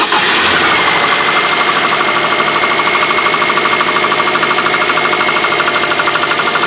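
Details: Subaru at 82,000 miles on a cold start at 57°F: a steady, fast light knock about three per second that has been present for about 30,000 miles; it quiets when warm and is louder in colder weather. Suspected piston slap, which the dealer called not harmful.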